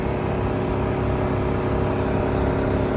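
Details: 2023 VW ID.4 Pro S with the A/C running: constant low droning hum with a buzzy vibration at a steady pitch, and a bar vibrating; compressor noise suspected, source unconfirmed.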